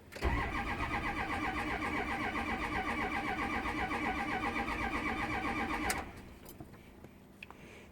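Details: 6.0 engine cranked by the starter at a steady four beats per second for six seconds but never catches; crank, no start.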